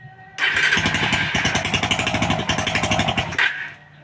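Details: Suzuki Raider single with top-end clatter traced to a loose cam chain from a deeply worn guide groove, running during chain adjustment work: fires and runs a quick, steady, crisp beat with no top-end rattle. Sounds healthy.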